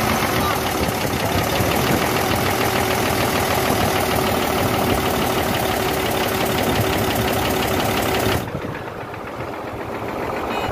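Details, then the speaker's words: Hino J08C truck diesel after overheating, top cover open: heavy hammering, harsh fast knock near three per second from cylinders one and two, with high back compression; pistons seized. "The sound is coming from 1 number cylinder and 2 number cylinder and back compression also i will get you checked"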